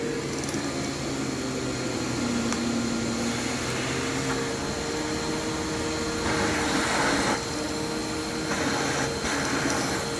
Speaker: And you can hear the belt squealing. It is very quiet though, which I do like.